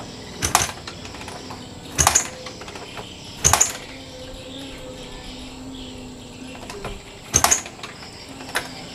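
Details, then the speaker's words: Yamaha Vixion motorcycle not charging battery: sharp isolated snaps a second or more apart as stator AC leads are sparked while kick-starting; spark too small, pointing to burnt stator windings, weak output. "kalau menurut saya apinya masih kurang besar tidak apa ya tidak mencukupi supply sepertinya ya HPnya itu kecil karena api dari 10 itu harusnya besar"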